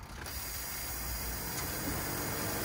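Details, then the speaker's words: 1990 Range Rover Classic after fuel pump and filter replacement, return lines cracked: sluggish, steady slow crank with no firing, starting fluid used up; trying to build fuel pressure to the rail, no start. "all right so we got a slow crank it turned over like it did in the other video with starting flip"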